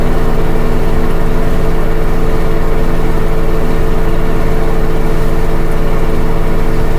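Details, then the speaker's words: LG WM3600HWA direct-drive front-loader, about 4.5 years old, Normal cycle with Extra High Spin and two coats, never reaching 1300 RPM. Steady deep hum with slight shudder from load; runs normally. "Bit shaky, I could feel the vibration. But it sounds like we're continuing to speed up. Hopefully. That's like 1150 or something."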